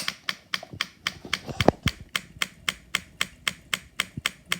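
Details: Supercharged NOS postie bike on newly powered fuel feed, ignition switched on: sharp even ticking about four per second from the electric fuel pump filling the carburetor float bowl while float level is adjusted; normal pumping.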